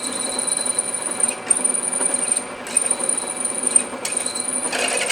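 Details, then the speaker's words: Drill press drilling aluminum with a larger bit: a shrill, rattling squeal as the bit chatters because the spindle speed is too fast; increasing the feed slightly can overcome it, but it may be problematic near the bottom. "too fast now i can overcome that by increasing my feed just a little bit"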